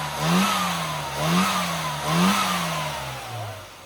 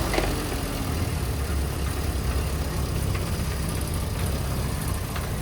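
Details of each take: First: Classic car at tuning demo after fitting a new curved distributor giving proper vacuum advance; three crisp throttle blips, revs rising and falling cleanly to smooth idle, no misfire or hesitation; runs better than before, normal revving. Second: Small four-cylinder on a carburettor tuning demo, just restarted after a needle change. Revs feel sharp, but the idle has a heavy, slightly lumpy, uneven beat. The mixture is too rich.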